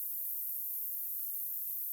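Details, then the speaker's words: Panasonic 3DO FZ-1 console that won't boot (black screen) gives a faint, steady high hiss at power-on. The cause is capacitor C36 in the power supply section, leaking and corroded. "And same thing, but this time we definitely have that hissing noise coming from it. See if you guys can hear it in the background here."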